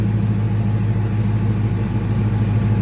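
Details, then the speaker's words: Car with an On3 twin-turbo kit and three-inch dumps, hood closed, idle: smooth steady idle with a low hum. The turbo scavenge pump is the most audible sound; normal idle. "you can actually hear the scavenger pump more so than anything honestly at this very point"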